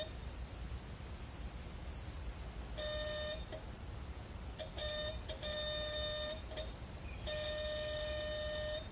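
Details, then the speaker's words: New Holland 660 round baler monitor during wiring troubleshooting with 12 V: steady high beeps in short bursts and long holds when a sensor switch circuit is jumped, showing the monitor alert and its wiring work. "But right now I should have got some sort of beeping happening. And if I jump, oh, see? You hear that? That's our beeping."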